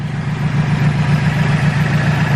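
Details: Turbo K24 Integra with 3-inch exhaust after exhaust leaks were fixed, band clamps and manifold not leaking: deep, even idle rumble with a steady pulse, no ticking or puffing; normal idle.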